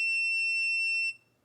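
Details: PS5 Slim Digital with beep on-off fault, previously worked on, voltage injected at about 0.5 V: steady high-pitched beep for about a second then cutoff; shorted rail traced near APU corner, liquid metal suspected.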